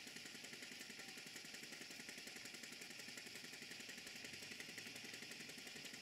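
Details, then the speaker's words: Stuart Models model steam engine on a Castle Steam V6 model boiler, pump feeding water and pressure dropping: quick, even exhaust chuffs about three or four a second over steady steam hiss; running normally. "I will stop talking now and let you hear the exhaust beat before the safety valves kicking again"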